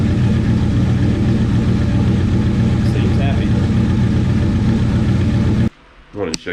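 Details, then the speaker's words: 1969 Plymouth Valiant, stock 360 Magnum V8 with FiTech EFI, GT45 turbo and TF727, first start after new heads replaced a blown head: deep, steady rumble at idle with no misfire or knock; normal idle. "looking good normal smoke burning oil off and stuff nothing on the ground runs great i think we're good"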